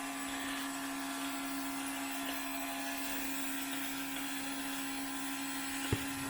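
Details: Electric fuel pump running on a 2002 6.0L drive-by-cable LS V8 during leak check: steady even hum with light hiss; suspected small leak turned out to be fogging-oil overspray, normal.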